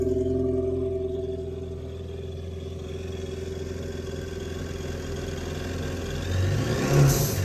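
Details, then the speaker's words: 2019 Yamaha GP1800R waverunner, supercharged 1.8L, 135 hours, after replacing failed supercharger clutch with newer version; even idle rising smoothly into light revs with faint supercharger gear whir; normal supercharged engine idle and rev. "So there you have it. You can actually hear the supercharger turning now, all the gears in there."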